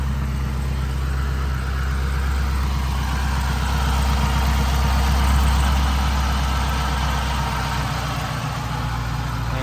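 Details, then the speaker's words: Chevrolet Camaro ZL1 1LE LT4 V8 idling with a deep, even rumble, no stumbles, after replacing a failing #5 plug wire with Katech racing wires and fitting Brisk RR14S plugs; misfire fixed, smooth idle. "engine is running noticeably smoother don't feel any misfires"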